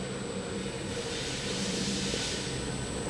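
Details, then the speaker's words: Pump run at about 30 Hz on a test skid with the suction valve being closed: steady rushing hiss with gritty gravel-like crackle over motor hum, starved pump cavitating from a pressure drop in the piping. "now i'm starving that pump causing further cavitation so that's kind of an example of something in the piping system that is uh that is causing it"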